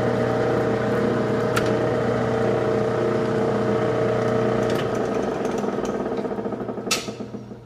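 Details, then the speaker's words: Lathe threading a Jacobs chuck arbor: steady whirring with fast rough flutter about four beats a second, fading as the lathe slows; two slightly loose drive belts making noise. "That noise you hear is my belt. I got 2 drive belts, and when they get a little loose, they start making that noise."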